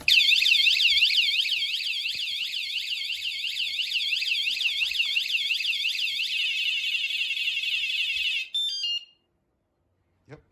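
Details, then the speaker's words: Wsdcam 113dB vibration alarm tied to a motorcycle frame: a small movement gives a warning, and further movement sets off a loud high-pitched siren warbling about three times a second, then cutting off; the alarm is fully triggered and working. "And then if we give it a little, there's a little warning. Any more movement."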